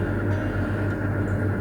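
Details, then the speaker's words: Resort room: constant low hum with no rise or fall from a water (jet) pump running behind the wall; normal pump operation. "uga bisa dengar nih sekarang nih ada suara dengungan-dengungan kayak gitu. Nah, itu suara jet pam mungkin, Brad. Kayak gitu. Jadi agak sedikit ngeganggulah kayak gitu."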